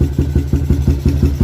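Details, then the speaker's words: Motorcycle upgraded from 63 to 65 spec top set (65 head and block, Umar Racing carburetor), owner's long Espada open-style free-flowing exhaust: loud lumpy open-pipe idle thumping about six beats a second; carburetor set slightly rich for the free-flowing exhaust. "Tapi setting minyak lebih sikit ni, sebab biasalah exhaust lawas."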